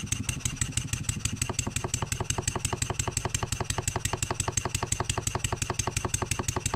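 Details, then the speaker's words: Stuart 7A steam engine running on air after valve eccentric timing adjustment, smoother and more even but knocking: sharp regular knocks about three per second in step with each stroke when load is simulated on the shaft; cause of knock unknown, disassembly planned. "you know when something's knocking we need to answer it"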